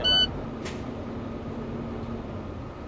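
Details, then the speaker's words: Truck during CDL air brake check, engine idling with light throttle under 1500 rpm while primary and secondary air tanks fill; steady rumble, then one quick sharp puff of air as tanks top out. Normal air governor cut-out. "all right not sure if you heard that but that was my sneeze"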